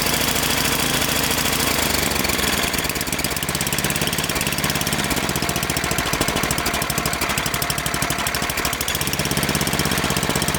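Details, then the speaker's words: Snowblower small single-cylinder engine that surged at idle, after new spark plug and oil change: steady even idle, no surging; fixed. "Alright, so new spark plug and an oil change, and this thing ought to be purring like a kitten."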